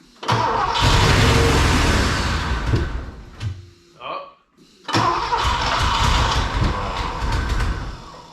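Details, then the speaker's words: Rare Porsche 928 cranked after pushing fuel through with coil disconnected, then catches and runs lumpy with an uneven thump, nearly stalls and recovers; misfiring, owner hopes fresh fuel will clear it. "a little run a little bit more still thumping it's going to stall there it goes"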